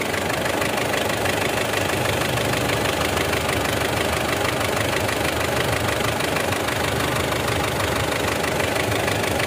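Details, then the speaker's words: Circa-2008 Mitsubishi Strada Triton diesel after injector work: white smoke gone but a light tapping about three times a second remains at idle, fading with throttle; piston slap on cylinder number two, some smoke still at dipstick and oil cap. "kepulan asap putih hilang dan suara takutnya itu masih ada jalur yah suara tampaknya masih ada eh indikasi papi masih di nomor dua ya untuk suaranya itu ada di nomor 2"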